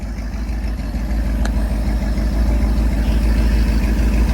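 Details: Taylor SS jet boat inboard after Berkley JE jet pump rebuild, load tank test: deep, even low rumble at idle with steady beat, no knocks or rattles; sounds good, no weird noises.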